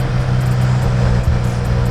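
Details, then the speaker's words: Wrecked 2017 Subaru WRX Premium, 6-speed manual, 58,000 miles, first start with mass airflow sensor missing: steady low idle with firm even rumble, no misses or hunting; runs pretty decent. "okay so it started up runs pretty decent even with the airflow sensor missing it runs probably all right"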